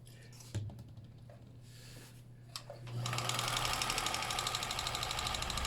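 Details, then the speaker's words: Stuck Kenmore sewing machine after freeing with penetrating spray: stray clicks then steady fast dry clatter, tractor-like; runs but still noisy, needs oiling. "oh oh she sounds like a tractor there we go that's the part I like the best my name's sake make it so sucker's going to sew but it is making some noise"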